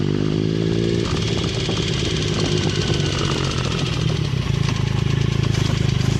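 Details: 2009 Triumph Speed Triple, 50,000 km, triple engine running: busy fast light ticking over the exhaust note that began mid-ride and persisted after timing chain replacement; dealer suspects middle cylinder, source unconfirmed.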